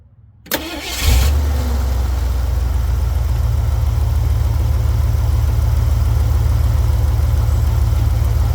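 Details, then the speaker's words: Jeep CJ7 just after its spark plug was reinstalled: cranks briefly, catches at once and settles into a steady, even low idle with no miss or knock. Normal start and idle. "Now she's purring like a kitten."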